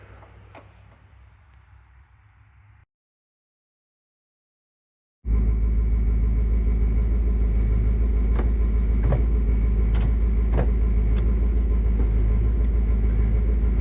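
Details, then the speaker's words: Car at idle after a new transmission replaced one with a groaning bearing and shaft play, fresh oil change, clutch in or out: smooth, even low idle with no gear rattle or whine; quiet transmission. "Clutch in or out? Doesn't matter. Nice and quiet. Much better with the new transmission in."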